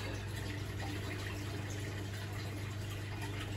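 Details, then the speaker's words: Dyson Contrarotator CR01 washing machine under restoration, element not heating, fault F13 shown: quiet steady low pump hum with water gurgling as the drain pump empties the drum after the fault, pumping incessantly. "So it's draining out for the fault, but I don't contrary old machine. Don't know where to go with this. The pump is pumping. Incessantly."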